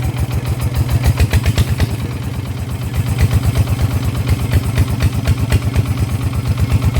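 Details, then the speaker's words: Kubota single-cylinder diesel, after crankshaft rebalancing for a vibration complaint: steady, even beat with a firm low thump each firing stroke, no knock or clatter; vibration clearly reduced, normal running after repair. "จากความรู้สึกนะครับตอนที่เร่งทีแรกนะครับกับตอนนี้นะครับมันมันจะสั่นน้อยกว่าแบบเห็นได้ชัดเลยนะครับ"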